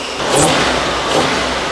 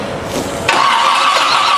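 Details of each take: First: Old Toyota Land Cruiser engine with timing set at about 10°: two crisp throttle blips rising and falling cleanly, then a steady run without popping or hesitation; normal revving. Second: Old Toyota Land Cruiser petrol engine with distributor plug wires being swapped to fix timing: catches abruptly after a short crank and settles into a loud, ragged, uneven run; rough running from incorrect ignition timing.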